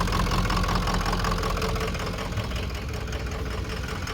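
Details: 2004 Ford F-350 6.0 Power Stroke turbo diesel with long crank, stalling, no power and random codes: lumpy, uneven idle at about 160 irregular pulses a minute with a sagging beat. Misfiring roughness traced to a melted body wiring harness above the turbo.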